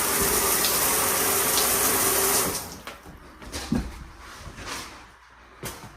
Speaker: And we go to the washroom. As you can hear the water running there. So we have water running throughout the home.